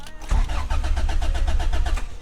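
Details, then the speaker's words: Honda CRX with rebuilt B20/VTEC engine: fast, even starter cranking with no firing and no fuel pump prime; crank-no-start caused by a water-corroded main relay; relay conversion kit ordered. "no start so there's not even a fuel pump prime or anything like that"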